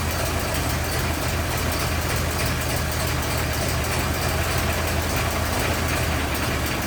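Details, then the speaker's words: 1927 Ford TT four-cylinder on jack, new buzz coils, timing about one and a half open, throttle up a bit, first run since brought home months ago: low, loping chug at slow steady beat, no knocks or misses; idling smoothly. "I want to get it started so I want to hear it run I haven't heard it run since we first brought it home"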